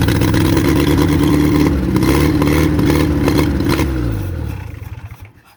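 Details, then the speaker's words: WWII-era Jeep, likely an MB, sitting for years, Solex carburetor: steady cranking at about four turns a second that never catches and winds down; fuel pump works but fuel not reaching the carburetor bowl. "The problem is one of fuel delivery. I'm going to have to figure out how this thing comes off so that I can get to the bowl."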